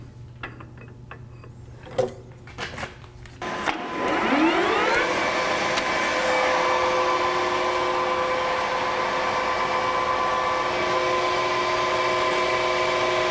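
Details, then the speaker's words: Manual lathe parting off washers in a 300-part production run: after a few clanks the spindle spins to a steady ringing whine with rough buzz; parting tool chatters near the end because stick-out is too far. "It does chatter a little bit at the end during parting cuz the stick out is too far, but I can get about eight different washers out of that operation."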